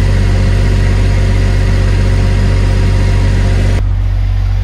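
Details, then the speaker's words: Diesel generator in a bus RV conversion, running on a new vibration pad: steady, even low drone with no knocks or misses; noticeably less vibration felt, though some panels inside still rattle. "Well, if it matters, I feel a lot less vibration there."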